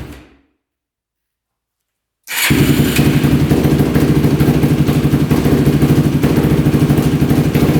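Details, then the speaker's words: Modded Yamaha YFZ450 race quad, freshly started on choke and electric start with fresh oil: single cylinder thumps unevenly at a fast idle, stumbling and struggling to hold idle. Owner suspects pilot circuit slightly rich; raising idle and turning in the fuel screw helped. "so it looks like um we're probably just a little bit rich in the pilot that's why it's having a hard time idling"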